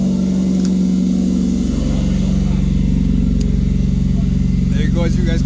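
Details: MK1 VW Rabbit pickup after an engine swap, running while new aftermarket gauges are checked, with coolant temperature fine and oil pressure 80 psi. Steady, even, low smooth beat at fast idle, no knocks or misses. Normal running.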